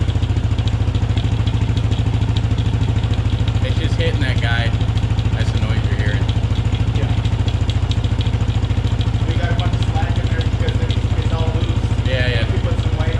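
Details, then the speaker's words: Machine in gear with the clutch held in, wheel spinning freely for a long time after the chain service. Steady idle with even wheel spin and only a faint light chain rub; nothing dragging, and the chain probably doesn't need tightening. "good. I don't think it needs tightened at all. And look how long it's been with the clutch in. It's getting there a good spin with that clutch in. We ain't got nothing fighting or dragging."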